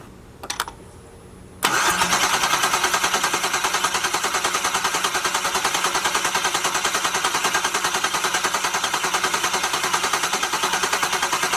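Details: LS-swapped Jaguar XJ-S on first start attempt, fresh oil, no headers; even starter cranking at about 200 beats per minute without firing, engine turns freely, oil pressure later confirmed at the filter; normal cranking.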